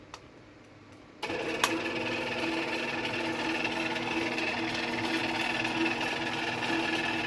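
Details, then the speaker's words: Old Genie Model 209 chain-drive garage door opener with code card radio set, running: steady, fairly quiet chain hum with light even ticking about four per second; seems slow, possibly due to a bigger sprocket. Normal operation. "So you can hear it's not terribly loud. Um now that I'm I think these machines are kind of slow or at least it seems to be."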